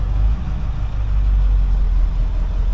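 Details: 2002 Ford F250 diesel, after the fix for shutting off while driving and a stuck fuel gauge, on a successful test run: a deep, smooth, steady idle with no knocks, surges or stalling.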